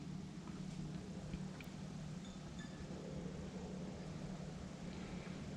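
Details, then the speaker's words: Planar 44D diesel heater installed in an Alubox for portable tent use, running: low, steady fan hum with even drone, no rattles or rubbing; fans sound normal. "hear the clicking that's the fuel pump which you can see mounted up over there in the corner"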